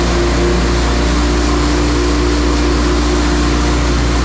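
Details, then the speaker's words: Diesel mower after installing time delay relay (previously died when PTO engaged): steady even drone with blades/PTO engaged, no stumble or dying; running normally after repair. "it used to die before here we go oh yeah there it is it's working"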